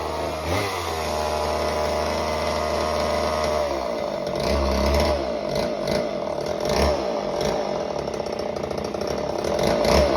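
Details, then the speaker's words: Homelite Super Mini chainsaw that previously wouldn't run, rev or idle, after repair with the idle screw turned about a turn and a half: a steady high idle, then a strong buzz holding pitch while biting a big log in pulses. It runs clean and cuts well. "so the saw runs really well it cuts like butter I'm surprised on how well it cuts through that big log that I put in the video"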